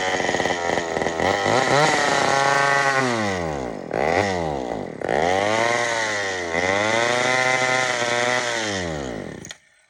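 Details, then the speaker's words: Old Sears Explorer II chainsaw after carburetor cleaning, tank running dry: revs swing up and down in repeated surges before it dies. The surging is from running out of fuel, nothing else wrong. "now it's out of gas what does that weird reving thing like that don't worry there's not nothing wrong with it it's just out of gas"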